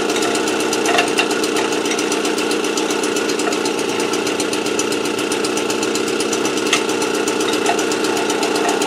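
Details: AV 89 two-stroke with an Ersal 70cc kit, after ignition repair and a correct-thickness head gasket, warming up before hot retorque of head and exhaust. Fast, even buzz holding steady with no misfires, knocks or hunting; runs cleanly.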